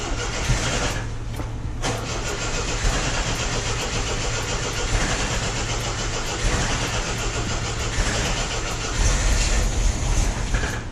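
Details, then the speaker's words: 1974.5 MG MGB with HIF4 carburetors after new float fitted and fuel pressure regulator lowered for flooding, weak battery: slow labouring crank, then uneven lumpy hunting idle; float height set wrong. "Alright, so we got the car started. It's idling like crap"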